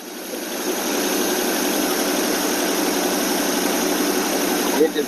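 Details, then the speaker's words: AMC 287 V8 Rambler, cold with choke on, after fixing exhaust manifold leaks, vacuum leaks and the carburetor: steady even fast idle around 1200–1300 rpm with smooth exhaust note, no puffing or ticking; runs healthy. "okay we're about 12200 fast idle now actually about 13 might have adjust that a little bit later it sound so much better already no exhaust"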